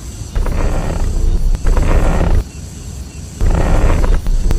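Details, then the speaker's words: Car making a low, rough groan that rises and fades each time the steering wheel is turned; described as a cheap fix costing only tens of yuan, though a shop quoted 3000. "打方向有异响，明明很好解决，但是你去修理厂，你猜他敢收你多少钱？"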